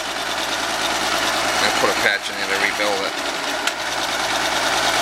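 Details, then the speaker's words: Field SWG-4 power venter on an oil-fired boiler, about 15 years old, housing rotted: steady motor hum with a buzzy shaking vibration; venter shakes, blade to be inspected, replaced with new unit. "be shaking like that I'm gonna take it apart and see what's going on with the blade"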